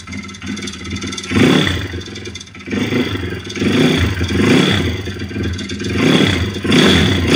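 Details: YX-1 160 four-stroke single: a clattery knock swells and fades with each throttle blip. It was fully torn down with valves adjusted; small piston-pin play, no conrod or cam play, but the cam came out easily with its bearings; slight ringless piston play. Source of the floating knock unknown.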